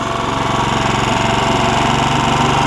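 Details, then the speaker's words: Honda HR194 push mower after replacing ignition coil (no spark before): steady, even note at constant speed, no misses or surging; throttle a little lazy from stretched governor spring; normal running. "one other thing I had to do you hear how good it was"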